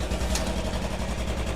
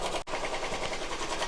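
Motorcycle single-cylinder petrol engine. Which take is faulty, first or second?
second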